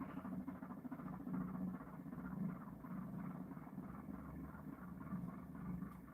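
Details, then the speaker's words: Single-coil pulse motor circuit on a 12-magnet rotor (6 north, 6 south), coil of a different gauge from the 26-gauge dual-drive setup: louder steady buzzing pulse with even low tone, because of one coil and different gauge; normal running. "Now I'm going to do the one coil circuit real quick. Back to the other rotor. And it'll be a lot louder, and it's two reasons. One, it's one coil, and two, it's a different gauge."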